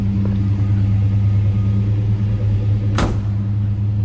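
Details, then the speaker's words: 1968 Ford Torino GT fastback, Y-code 390 V8 with C6 automatic, cold start, heard from behind the car: deep, even V8 burble at steady idle, no knocks or misfires, one door thump midway; healthy normal idle. "Door closes nicely. Nice sounding car. And again, that was a cold start, so what you're hearing right now is from a cold start."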